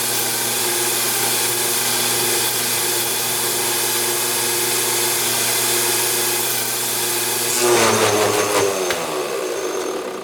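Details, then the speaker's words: CNC lathe turning a milling-machine spindle pulley. A steady stepper whine breaks into harsh rattling as the motors skip and lose position, and the tool crashes into the chuck. The owner suspects the machine electronics, and it happened the day before too. "This happened yesterday. Something skipped, the motors freaked out and lost their place."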